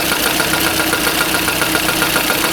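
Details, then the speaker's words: Idling engine at about 85 dB with a busy, tinny clatter from camshaft end-play. The knock stops when the plug is pressed with a hammer; fix is measuring end-play and machining about 0.5 mm off the plug. "стук пропадает, когда нажимаем сюда молотком. Нужно эту заглушку токаря отнести, но перед этим нужно замерить осевое смещение распредвала, чтобы не перестараться."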